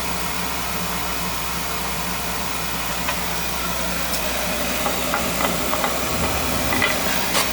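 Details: Newly installed replacement oil-fired boiler, burner firing up on first start: steady even roaring hiss with no pulsing, popping or rumble; burner firing cleanly.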